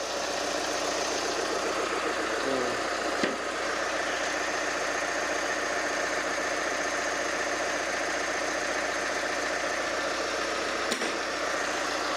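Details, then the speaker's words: Chevy Colorado 2.8 L Duramax diesel after no-start, starter removed: engine starts and idles steadily with light diesel clatter, no misses or surges; normal. "She's alive. 2019 Colorado, 2.8 liter."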